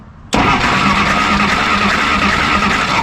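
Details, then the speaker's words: 1953 Willys Jeep CJ-3B; steady cranking with no catch, pulled plug shows no spark; 12 V fed direct from battery to resistor lights the test light, owner suspects ignition switch not feeding voltage while cranking. "definitely no spark so ah what a pain in the butt this is interesting"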